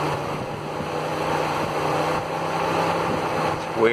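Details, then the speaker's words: 2000s Mitsubishi, driven daily a few hundred miles: with only ignition on, both cooling fans run with steady airy whoosh, speeding up and down; failing cooling fan controller, about to be replaced. "now it's basically doing a thing where just whatever the ignition's on the fans on basically so i'll go ahead and turn the ignition on to show you both fans here speeding up"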